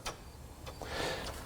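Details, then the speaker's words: Vauxhall Corsa with C20LET turbo engine, leak-down test on cylinder four: clicks, then a steady soft hiss of air heard from the breather, escaping past the piston into the crankcase; engine judged worn out. "That means one thing, it's going past the piston into the crankcase, coming up the breathers. So this engine is farm trucked."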